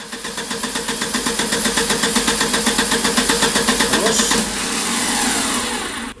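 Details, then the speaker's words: Starter cranking with oscilloscope on starter brush input (battery 12.3 V): strong, even cranking pulses about four a second, then engine catches and runs; reference brush signal, no commutator breakdown, no open circuit or brush wear, starter healthy. "тут ми маємо можна сказати еталонний сигнал щіткотриямача стартера пробою на колектор немає обриву зносу щоток немає стартер себе дуже гарно почуває"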